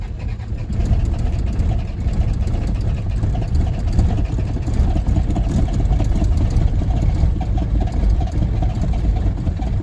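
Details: 1981 Isuzu Pup 2.2L C223 diesel, cold start at 50–60°F after sitting a week and waiting out the glow lights: long, rough cranking with uneven chugging, never running up. Suspected causes are injection pump timing and a CSD leak, not confirmed.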